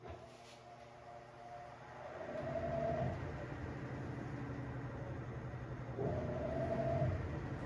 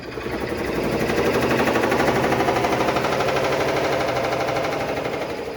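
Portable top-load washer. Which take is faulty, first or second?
second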